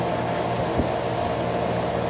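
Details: Garage A/C unit at first startup of the season after winter, fan running: even steady whoosh over a smooth low compressor hum, no rattles or cycling, outlet air near 45°F; normal healthy running.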